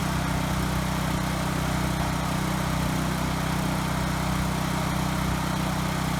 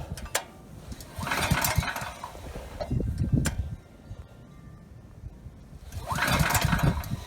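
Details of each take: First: Ryobi RY905500 5500-watt generator after restarting and resetting the tripped GFI: steady, even engine drone with no surging, misses or knocks under its governor; running well, frequency slightly high and to be adjusted. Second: Ryobi RY905500 5500 W generator, new recoil rope, choke on: repeated pulls spin the engine without catching; it ran on starting fluid, so it is fuel starvation, main jet probably clogged in carburetor.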